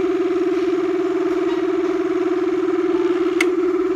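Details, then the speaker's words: Mabe twin-tub washing machine on spin: steady mid-pitched squeal pulsing about three times a second from a dry spin shaft seal, while grease is being applied to the shaft. "voy a inclinar de nuevo y le voy a poner un poquito más de grasa tal vez no no lo puse adecuadamente"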